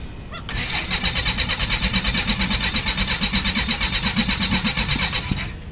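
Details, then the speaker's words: Beechcraft Musketeer engine, dormant six months, primed via carburetor and primer with fuel confirmed at the carburetor: steady starter cranking, about three compression pulses a second, never firing; cranks but won't start, with a wisp of fire under the cowling. "I know I'm getting fued of the carburetor it just doesn't seem to want to fire so I'm going to investigate that"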